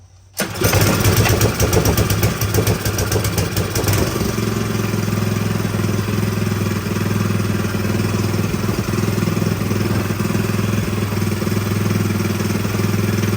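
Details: Little-used Power Horse small engine that sat a long time, restarted after fixing a leaking fuel petcock, on choke, air breather off: cranks, catches within a second, sputters briefly, then settles into a steady even idle with no misses or knocks; normal start and idle.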